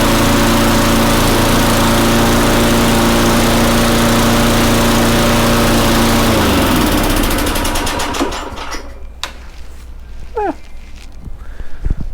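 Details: Very old Tecumseh engine (rear spark plug) on an Eager 1 / Craftsman mower, after new spark plug, throttle cable removed, 10W-30 oil and slight engine speed adjustment: steady even beat, no misses, then shut off and winds down smoothly; normal running.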